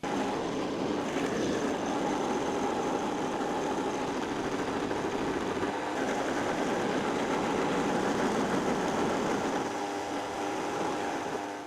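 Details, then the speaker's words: Milling machine after spindle tapered roller bearing replacement fixing spindle play, power-feed cut about 2–3 mm deep: steady even cutting hiss over motor hum, no chatter or pulsing; previously vibrated, now much more rigid. "That was about 2 3 mm I was taken there. there would be like kind of vibration just no a nice sound you would hear"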